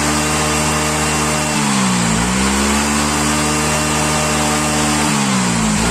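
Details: Yamaha Mio Soul GT scooter that would not start after sitting unused for several days runs normally again, buzzing steadily and picking up cleanly on two short throttle blips; the problem was only the spark plug.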